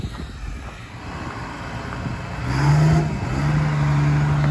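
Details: Military surplus 6x6 cabover diesel truck, road test. Deep diesel drone builds and settles into a steady pull under load, no knocks or rattles over road noise. Running flawless. Normal acceleration.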